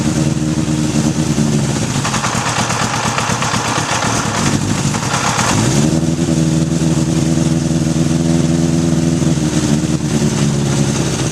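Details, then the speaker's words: 1981 Honda CB750 K1 on a test ride with an uneven, stumbling exhaust note that sags and surges under throttle; the accelerator pump leaks fuel at its mating surface, with vacuum leaks at the carb boots and throttle shafts. "right now I'm sitting on an 81 cb750 k1 and it doesn't run so good so we're gonna take it for a test ride"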